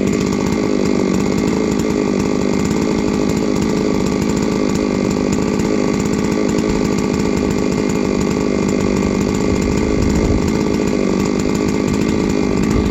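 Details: Three-year-old Huztl-based MS660/066 mill chainsaw, ported 56mm cylinder, after in-field clutch replacement: steady crisp high-rev scream throughout with no surging or clutch chatter; runs healthy.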